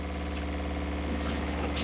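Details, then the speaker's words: Motorhome fresh water pump running with all taps closed while filling the water heater from the fresh tank; steady even low drone with no knocks or surging; pump sounds healthy. "now you hear it now people start worrying there when they do that because they'll think where's that water going and it's actually filling the water heater so even though we haven't got a tap turned on you'll still hear that water pumps looking good kev"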